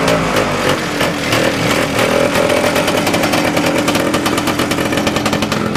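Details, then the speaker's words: 1971 Moto-Ski Capri vintage snowmobile two-stroke with newly fabricated exhaust (tractor-part muffler, slip joint, old flange): loud, raspy crackle with fast busy rhythm and rev blips, quieter than a glass pack or straight pipe; runs clean and strong. "Now, don't expect it to be quiet because it's not. but I've done a machine with a glass pack before and it was much louder. This is still quieter than a straight pipe."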